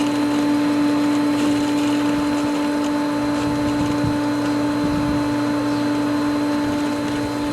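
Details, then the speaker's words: Pool pump at spring opening after winterized skimmer opened: loud hum with rough gurgling hiss, air heard coming through the valve and still in the pump as it works to regain prime. "I don't know if the camera makes it out but I can hear the air coming through this valve and there's still air in the pump"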